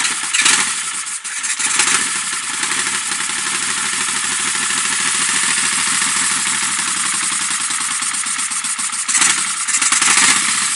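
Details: Engine at idle after briefly running better: uneven, hunting note with a hissy top end, rising and sagging instead of holding steady; rough idle, vacuum leak suspected but not confirmed.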